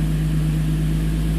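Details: 2005 Infiniti G35, VQ35DE Rev-Up, 6-speed manual: after coil pack replacement for a P0300 random misfire, a steady, even low idle hum with no stumbles or misses. Air-fuel ratio reads about 14.7, so the engine sounds healthy.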